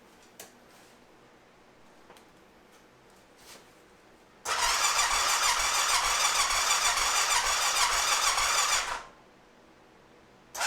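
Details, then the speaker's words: 2005 Honda TRX650 Rincon, 650cc single-cylinder four-stroke, tank full of fresh fuel, tried on full choke and without: about four seconds of starter whir, roughly three beats a second, never catching. Fuel delivery issue suspected. "okay so my initial inkling is that we may have a fuel delivery issue"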